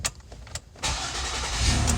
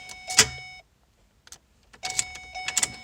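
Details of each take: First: 2009 Ford Escape 3.0 V6: near silence with a couple of light clicks, no start until pressure is applied to the key, then the engine catches and idles steadily; worn ignition switch causes intermittent no-start, replacement planned. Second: 2009 Ford Escape 3.0 V6 with an intermittent no-start, retested after ignition switch work: a few chimes, then a short crank and an immediate catch to an even idle. A clean, healthy start.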